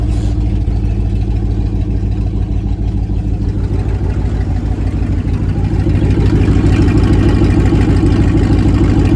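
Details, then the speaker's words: 1999 Dodge Dakota R/T 5.9 V8, parked, started right up; loud raw idle with sharp even puffing tick each firing pulse from exhaust leak, downpipes cut behind headers, no muffler. "so she does have an exhaust leak so it's not an exhaust it doesn't have a muffler on it or anything like that uh right behind the headers"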